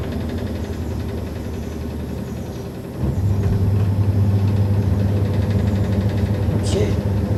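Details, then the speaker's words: Top-load washing machine after repair of a vibration and banging problem: steady low hum, spinning smoothly and evenly, with only a faint knock about four times a second. "it seems like it's running smoother Steve a little bit knocking but at least it's functioning right now"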